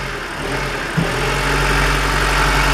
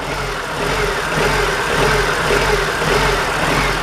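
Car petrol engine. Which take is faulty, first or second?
second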